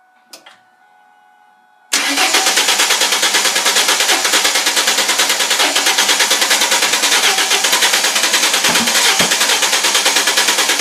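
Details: 2000 Ford Mustang 3.8, new plugs, wires and battery, fuel pump heard, no codes, plug wet with fuel, sometimes sputters: steady rapid cranking about three beats a second that never catches; crank no start, cause unconfirmed.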